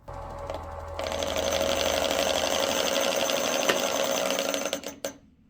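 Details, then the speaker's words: Wood lathe finishing the tenon of a bowl pinned by a sacrificial end-grain jam-chuck block: a fast, even rattling chatter at about four knocks a second. The end-grain block split, loosening the work; side grain would be stronger. "yeah that noise that's not a good noise and yeah here I go I try again that piece right there split of course I was an idot I shouldn't have used an end grain piece"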